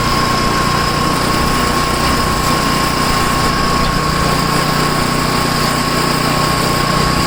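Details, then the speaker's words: Tecumseh-engined snow blower started after sitting 10 months, choke on and throttle up, fitted with a new adjustable-mixture carburetor left unadjusted. It runs at high speed with a steady, even drone and a faint whistle, no misses. Runs good. "It seems to be alright. High speed. Runs good for a Tecumseh."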